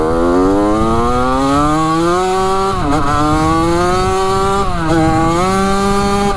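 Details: 1985 Yamaha YZ80 two-stroke dirt bike after a rebuild, warm, on its first ride: a crisp buzz climbs steadily through the gears with clean shifts and no misfire or knock. The silencer is not working well. Normal, healthy running.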